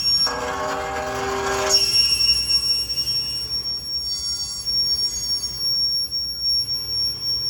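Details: Acura MDX: a thin, steady high-pitched screech from the wheels, caused by a pebble trapped in the brake. It was fixed using brake cleaner.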